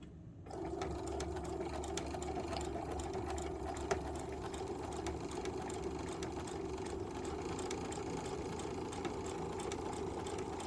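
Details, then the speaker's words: Sewing machine after repair (foot plate problem fixed and bent needle replaced): even, quiet whirring patter of stitching at steady pace, no needle click; normal stitching. "It wasn't just the foot plate, it was also the needle too, so I went ahead and changed out the needle. That needle was a little bent. So it's not making that noise anymore."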